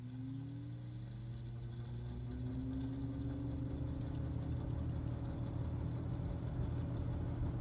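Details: Mid-1970s EXL 7-bladed box fan, cleaned, oiled and switch replaced, startup: smooth quiet even hum rising gently to low speed, no ticks or rubbing, healthy.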